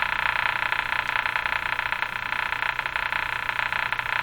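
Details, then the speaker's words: 1935 Rogers Model 7R622 tube radio being aligned with a signal generator hooked up: a raspy, croaking buzz pulsing about three times a second is the generator tone coming through, a good sign, while the clicking is interference. "so as horrible as that sound is it's a good sign the clicking sound is also interference here in my shot"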